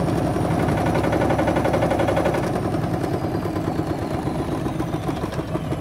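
Fast spin with hard, repeated thumping about three times a second over the motor hum; the drum is badly out of balance.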